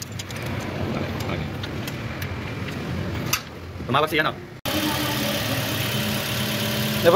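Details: Toyota Vios, alternator bearing concern: after some clatter the engine settles into a smooth even idle with a steady low hum, no knocks or squeals. Normal idle.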